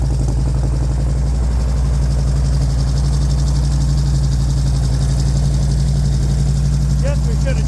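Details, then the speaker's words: 2009 Harley-Davidson project bike, first start after purchase: deep, even loping V-twin idle with no knocks or misses, sounds good; it won't go into neutral. "There she runs. That's our problem right there. We got to figure out why we can't get it into neutral. Sounds good."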